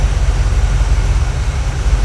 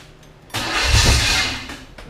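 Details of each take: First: 1980 Camaro 2nd gen, freshly built Chevy 5.7 (350) small-block V8, first run-in after idle raised: deep, even burble at steady idle, no knocks or stumbles. Normal idle, 50 psi oil pressure, temperature rising. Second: Chevy 5.7 SBC in a 1980 Camaro, first start. The owner can't advance the distributor enough. It fires and catches about a second, flares, then fades; the timing or plug wire order is wrong.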